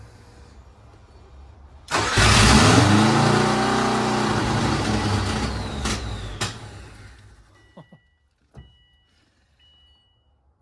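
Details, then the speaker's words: 2003 Subaru WRX (bugeye) with hybrid engine, first start after reinstalling fuel lines and PCV plumbing, no exhaust fitted: sudden harsh raw roar wavering unevenly for about four seconds, then cuts out. "it'll start that sounded crazy all right that's good that's enough that's all I wanted uh it'll start we know it'll start so um sounds like but that's what happens when you don't have an exhaust on"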